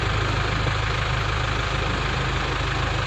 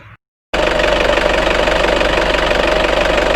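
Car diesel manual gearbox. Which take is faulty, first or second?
second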